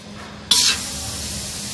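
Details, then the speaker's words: Refrigerator being repaired: sharp burst then steady rush as the capillary tube is cut and pressurized flammable refrigerant escapes, letting air enter the system. "তো gas তো দেখা যায় না, এটা দেখে শব্দ হচ্ছে, অর্থাৎ গ্যাস বেরিয়ে আসছে। আপনারা শুনতে পাচ্ছেন যে শব্দ হচ্ছে। এখন এখানে যে গ্যাসটা আছে, গ্যাসটা বের হচ্ছে। গ্যাসটা বের হলো, আসলে ভিতরে বেশি প্রেশার ছিল, তো প্রেশারের জন্য গ্যাসটা বের হলো।"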